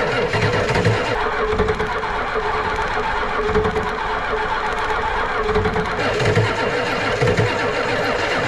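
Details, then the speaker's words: Ford 7.3 IDI diesel cranking on a nearly flat battery to bleed air from the injectors: laboured, uneven, dragging starter thumps that never catch. Finding: slow cranking from a dead battery; a second battery is added and the glow plugs reconnected afterwards. "she is running pretty low on battery again but let's just see I'm going to crank it over and just bleed the rest of these injectors out a little bit"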